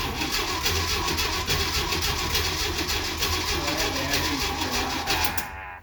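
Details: 1969 Jeep Willys CJ5 that sat about seven months over winter with a dead, recharged battery, on a cold spring start attempt. Rapid, uneven starter chugging turns the engine for several seconds without catching, then stops; cranks but won't start.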